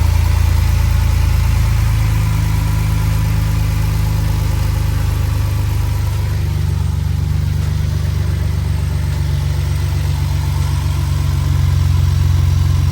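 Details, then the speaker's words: First start after fitting new Bosch iridium double platinum spark plugs: deep, steady idle rumble with no speed change, aircon off; engine runs normally on the fresh plugs. "Okay, so first start with the new spark plugs in, iridiums."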